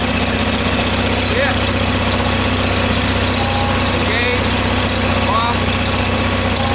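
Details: John Deere 318 twin-cylinder engine starting; settles into an even steady idle right after starting, no misses or knocks, runs normally.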